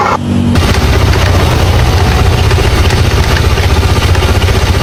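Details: Engine running with a pulsing drone, about four beats a second, rising with revs, heard from the CVT area while accelerating or idling; abnormal CVT noise worth inspecting.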